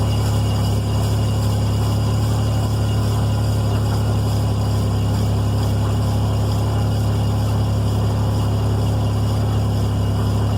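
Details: 2002 first-gen Toyota Tacoma, rear jacked on stands, 1st gear, after replacing the separated driveshaft support bearing with new OEM: engine hum with irregular ticking and consistent clunking from the rear driveline at set intervals.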